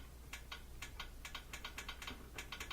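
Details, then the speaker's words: Whirlpool Thin Twin washer that would not spin, set to spin with power on. Only dry timer clicks at uneven intervals and no motor hum are heard; the lid switch is suspected. "So when you set it for spin, you can try the different parts of the dial, but if you get no sound, then almost always that's going to be a problem with this thing, the lid switch."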